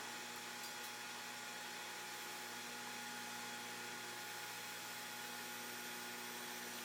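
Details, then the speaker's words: Mean Well 1kW+ e-bike charger supply delivering about 14 A: steady high-pitched whine and hum, even and unchanging; supply straining under heavy charging current. "and you can actually hear these this power supply stream i mean 14 amps it's actually humming a bit so we're going to turn it down just because i don't want to damage anything on it"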